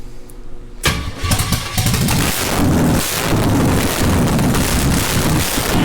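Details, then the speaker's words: Plymouth V8 started for the first time, after a weak starter and lots of fuel, with ATF leaking onto the headers: after a quiet lead-in the engine catches and settles into a loud, lumpy, uneven idle, now running on its own. "try that well it's starting to sound better i'm going to give you a little bit more"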